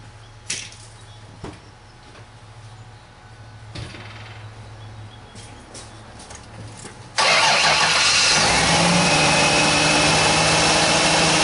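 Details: 2000 Ford Taurus 3.0 OHV V6, 107,304 miles, just fitted with a new alternator after an undercharging failure: a few quiet clicks, then it fires at once into a steady, even idle with no squeal or stumble; normal start.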